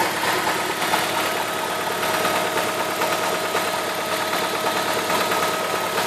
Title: E46 318 engine knocking